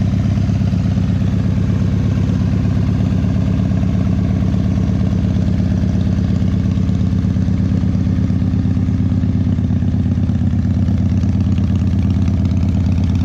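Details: 2001 Indian Scout with 7k miles, cold start at about 50°F: uneven loping idle with fast light ticks and pops over the thump, from a known air leak at the front exhaust pipe.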